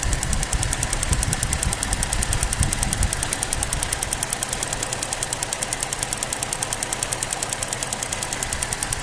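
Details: 2007 Pontiac G6 GTP at idle: a quick, light, even ticking runs steadily at about two or three per second over a smooth idle, apparently from one spot in the engine bay. The cause is unknown.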